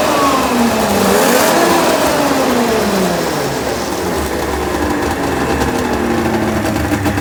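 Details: 1996 Ski-Doo Formula 3 600 triple two-stroke snowmobile, neglected project, after carb cleaning, choke cable adjustment and carb synchronization: revs up quickly and settles back to a steady, even run with no bogging or misfire; runs really good, carbs set up right.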